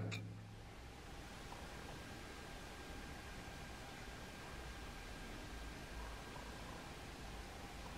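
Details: Bluetooth audio module feeding a 12 V amplifier board, now powered from an isolated 5 V supply: only faint even hiss with a thin quiet whistle; interference reduced about 95%. Clean audio output, interference removed.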